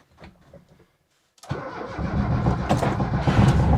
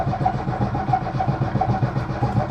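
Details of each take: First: Lada Niva 4x4 just taken down after about a month on its side on a rotisserie, engine not hydrolocked: brief crank, quick catch, then an even low exhaust rumble settling into a steady idle with a light rev; normal start and idle. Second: Lada Niva after about a month on its side on a rotisserie, in neutral: starter spins the engine steadily at about five compression pulses a second but it never fires; fuel suspected not yet reached the carburettor. Cranks, no start.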